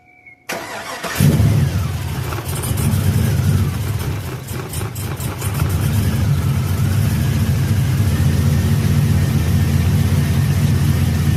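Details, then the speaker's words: 2002 GMC Sierra 5.3L LS V8 with new knock sensors fitted for codes P0327/P0332 and intake manifold reinstalled: first start. A quick crank catches cleanly and settles into a smooth, even idle with no knocking or misfire. Normal start and idle. "And so yeah, so now we'll fire it up and see how it sounds, and check our check engine light."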